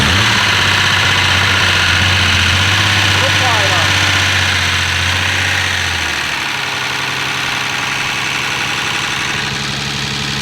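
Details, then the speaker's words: Turbo BMW E36 wagon, first start after engine rebuild: fast steady top-end clatter about four per second over the idle, easing as it settles, may sound like rod knock; hydraulic lifter tick from unbled lifters. "are not bled so it's gonna make a lot of that noise that started right the [ __ ] up sounded like it was at like 3000 RPM though oh yeah it's gonna be loud um it's gonna sound like it has rod knock because BMW lifters they just do that"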